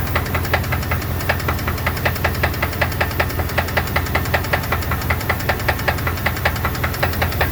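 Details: 2002 Dodge Dakota 4.7 V8 idling: sharp, evenly spaced ticks about 2.5 per second; owner suspects lifter issues or piston slap, cause unconfirmed.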